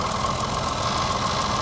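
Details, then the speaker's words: Jaguar F-Pace, 42,000 miles, at idle: a fast, light metallic rattle under the hood that does not settle; source unknown, doesn't sound normal. "there's definitely some rattles going on under here in there that does not sound normal"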